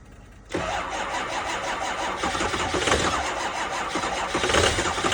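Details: 2005 6.0 diesel at 15°F in New York, first start of day: starter spins hard with regular compression pulses but never catches; cold no-start on two batteries and jump pack, cause not found.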